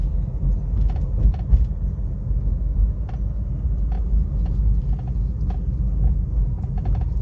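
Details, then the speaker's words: Suzuki Baleno electric power steering column, heard at idle and while driving: sharp, irregular clicks and knocks over a low rumble as the wheel turns. Column gear grease has dried, also causing hard steering and poor return. "देखा है cut cut मार रहा है काफी आवाज ए रहा है गंदा"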